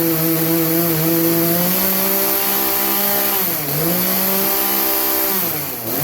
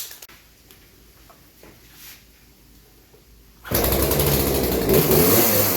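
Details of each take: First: Craftsman chainsaw that bogged under load, at full throttle after the high-speed carburetor jet was turned about three-quarters clockwise: clean, steady high-revving buzz, brief dip under load, quick recovery; now runs smoothly. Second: Craftsman 18-inch 40cc chainsaw that bogs under load and won't wind out, before carb adjustment; quiet, then a high raspy rev that won't climb further; lean high-speed mixture, fixed with about three-quarters turn clockwise on the high-speed jet.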